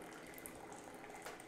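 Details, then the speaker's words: Keurig B70 K-Cup coffee maker after clearing a clog and cleaning the bottom needle, flushing grinds through: steady hiss and gurgle of water running freely with no sputter or stall; normal, unobstructed brew flow. "I want to make sure that um that we got flow so oh there we go so satisfying"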